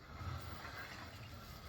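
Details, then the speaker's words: 2005 GMC Sierra 2WD, front wheel turning: a low, steady growl with a faint whirring; slack found at the wheel while the ball joints on this side are tight, so a worn wheel bearing, not brake noise. "you can you can hear the noise and it's not a regular brake noise so anyways we're going to get this wheel off and show you how to replace this wheel bearing assembly"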